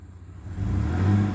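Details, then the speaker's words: Newly bought truck, trying reverse: engine revs under load with low droning whine but no drive in reverse; transmission whine, cause unknown. "Nope. You hear it whining."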